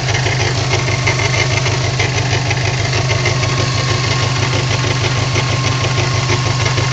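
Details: 54-plate new-age Subaru WRX at idle with light regular ticking about three per second; intermittent, appears in town and average-speed driving but not when driven hard; source unknown.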